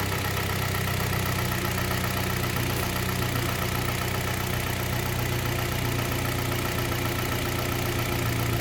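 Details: Warm engine idling smooth and even with no metallic tapping on a Kia Sportage 3 at 122,000 km, after service: oil changed Shell 5W30 to NGN 5W40, throttle and injectors cleaned, filters replaced. Dull metallic knock gone; timing chain replacement due in a week.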